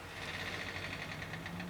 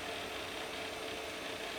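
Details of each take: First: Pentium Pro PC powered up during operating system setup: a quiet steady whirr with a thin high whine and faint rapid pulsing underneath. The noise comes from the power supply fan and is nothing serious. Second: Pentium Pro PC's hard drive during setup while converting the FAT file system to NTFS: fast, fine clicking ticks under a steady hiss. This is normal busy seek activity.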